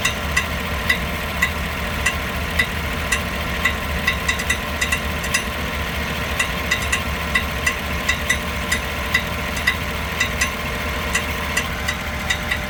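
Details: 2015 GMC Yukon: irregular sharp ticks and clicks about two a second over a steady running engine; faulty starter.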